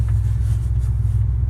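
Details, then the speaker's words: 1979 Dodge Magnum big-block with Edelbrock Performer, MSD coil, vacuum pump for brakes, unknown build: deep uneven loping, lumpy idle under heavy rumble; owner suspects an aggressive cam around 292 advertised duration, not confirmed. "there's no getting around it she's cammed up it kind of sounds like a advertised 292 duration the way she runs she's pretty rough"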